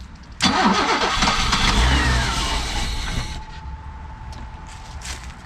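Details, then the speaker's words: 1987 BMW 528e (E28), sat about two years: catches with rough uneven firing, runs about three seconds, then stalls; bad-smelling stale fuel suspected, later a split intake and a dead cylinder suspected. "it ran a little longer that time [Music] it smells like bad gas we're just getting through that gas"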